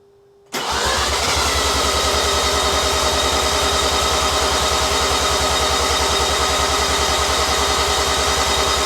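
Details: New Mazda 13B bridgeport rotary on first start attempt, no throttle, after ECU map corrections; steady starter cranking at about three and a half pulses a second for eight seconds, never firing; cranks but won't start, cause unconfirmed.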